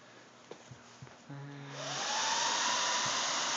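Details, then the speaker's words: IBM x346 server (two 3.8 GHz Xeons, 4 GB DDR2, five hard drives) starting up: a few clicks, then fans ramp to a loud steady rushing whine held at full speed, owner says sounds like his car; normal fan spin-up at boot. "um here's what this one sounds like it sounds like my car which is pretty ridiculous"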